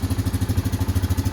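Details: Fuel-injected Yamaha Kodiak/Grizzly 700 ATV (2016-2018) idling after an oil and filter change: even thumping about nine beats a second, no misses or rattles; healthy smooth idle.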